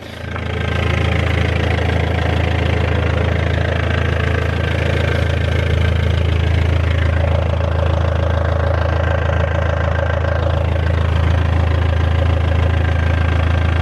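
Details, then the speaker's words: BMW E46 3 Series diesel right after fuel filter replacement and priming: starts straight away and settles into a smooth, even idle with steady low rumble and regular beat, no misfire or knock; normal idle. "Fired straight up, no problem."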